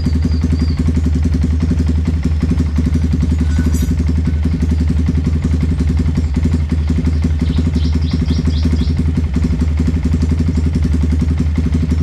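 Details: Yamaha Vixion motorcycle after repair of its noisy engine, reassembled with new NGK spark plug: steady, even low putter at idle with a light mechanical clatter, no misfire or heavy knock; normal idle.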